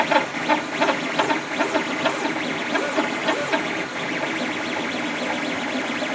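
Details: Creatr HS 3D printer making strange noises during printing: rhythmic rising and falling motor tones with chirpy pulses as the head moves; print bed also not level; cause unclear.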